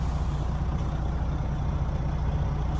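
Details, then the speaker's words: Semi truck idling after the protection valve was replaced to cure an air leak from the blue line when braking: brakes applied with no hiss of escaping air over the deep idle; normal air brake application. "If I press the brakes and I hear the air leaking there, then I don't know. Guys, I'm a mechanic, guys. You see? It's not leaking at all."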